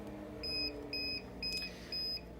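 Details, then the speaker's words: Prius Rhythm Multi alternating-pressure air mattress control unit: repeating high-pitched beeps, roughly two per second in short bursts over a faint hum, the power-failure alarm, cleared with the alarm reset button. "will illuminate, blink, it'll also beep. You can hear the audible beep as well."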